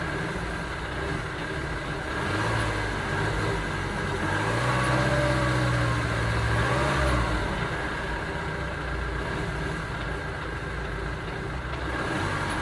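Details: 2009 Ford Transit Sport van whose idle rises and falls with a rev, carrying a stumbling, uneven beat; engine misfire, cause not pinned down.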